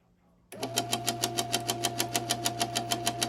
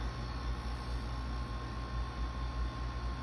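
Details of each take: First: Insignia NS-IMN44BS4 nugget ice maker, powered with a little water in it: a steady hum with a sharp, even knock about twice a second from the top drive area, the gear motor knocking. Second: Insignia NS-IMN44BS4 nugget ice maker after motor replacement, cover back on: smooth, even low hum with a faint steady tone and no knocking; running normally.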